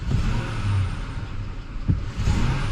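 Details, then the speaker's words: 2004–2007 Ford F-150 5.4L 3V V8 with codes P0022/P0021/P0012, after replacing a stuck VCT solenoid: steady idle with the loud diesel-like ticking gone; faint whistle remains, possibly a pulley. "we started the truck up and it it's running really good uh i don't hear the the loud ticking noise that he had before"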